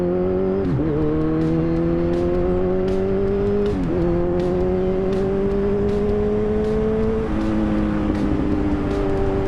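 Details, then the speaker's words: Kawasaki Z1000 motorcycle after an ECU change via a Woolich bench harness to cure backfiring: pulls smoothly through three upshifts, exhaust note rising cleanly with no pops or backfire. "If you've heard, at least by the sound of my my exhaust, there's no more backfire."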